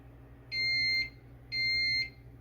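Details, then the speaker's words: Tobii eye tracker powered on via the rear right switch: fans kick on with two clean high beeps, each about half a second, a second apart, over a low steady hum; normal startup. "first if the unit isn't turned or turned on reach around to the back right you will hear the fans kick on you will hear two beeps"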